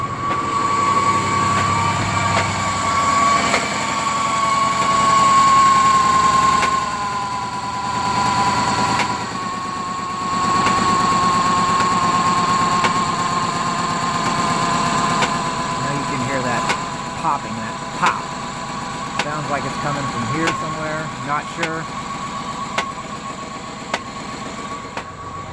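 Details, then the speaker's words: 2005 GMC Envoy 4.2L idling rough after VVT sensor replacement and oil/filter change, P0017 code (earlier P0014 cleared), check engine light on; steady whine with sharp uneven popping and knocking heard close up at the engine. "oil change oil filter and starts up rough idle and I have this noise check engine lights on"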